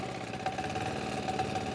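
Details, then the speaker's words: MEP 531A military generator after fuel-system priming, repeated with decompression lever: uneven, stumbling idle with irregular beats slowly settling; air still clearing from the fuel system. "you can probably hear it now it's still stuttering just a little bit"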